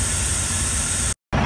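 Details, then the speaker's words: Steady hissing of escaping air with a low idle rumble beneath, from a truck trailer's air brake equalization valve whose little rubber part is loose; valve to be replaced; air brake leak. "some kind of Equalization valve something hold on I'll show it to you this valve right here you can hear it hissing and that little rubber part right there is is loose"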